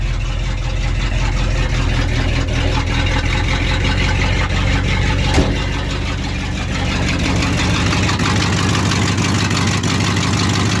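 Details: 1968 Ford F350 1-ton after sitting 20 years, started after a new ground fixed the cranking problem: deep, steady V8 rumble at an even idle with no misses or knocks, charging at 14.1 volts.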